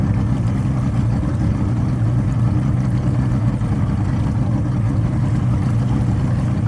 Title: Motor misfire after it stalled